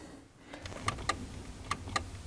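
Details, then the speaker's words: Window switch pressed on a VE Commodore door: only a few faint clicks, no motor hum; switch works and signal reaches the door, but the power window motor is not running. "we hit that switch there's only a small clicking sound again it's a pretty good indication that the switch is working the signals getting to the door but the motor isn't actually working"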